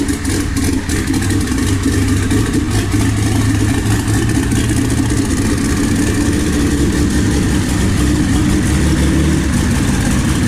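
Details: Jeep 4.0 inline-six built as a 4.6 stroker with T3/T4 6063 turbo, Holley Terminator X EFI and Ford 2V coils: catches and holds a smooth, steady idle with a few throttle blips, no misfire, tapping or knocking; normal idle and revving.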